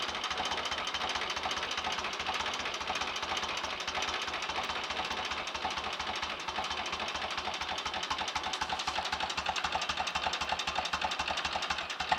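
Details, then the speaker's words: 1930 Royal Enfield Model K 1000cc V-twin motorcycle on a fast idle after kickstart, lights on and charging working: quick, even popping beat about four a second, no knocks or rattles; normal idle. "listen to that a better fast swipe with a kickstart would speed that engine up lovely old machine"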